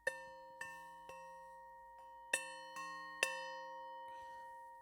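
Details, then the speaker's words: Pair of Purdey shotgun barrels after rib re-tinning and resoldering, tapped with the back of a saw: a clean, bell-like ring that sustains and fades evenly, showing ribs tight and touching; loose ribs would give a dull thud and rattle. "And what that noise tells you is that everything is tight and touching."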